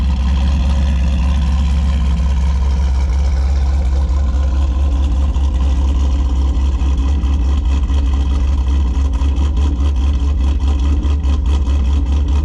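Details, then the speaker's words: 2008 Pontiac G8 GT V8 on E85 after an E85 sensor, injector and tune install, idle checked before wide-open-throttle tuning: deep, even rumble with a steady beat, no misses or knocks; normal running. "sounds good so far yeah that sounds good i think we're going to be pretty close with that"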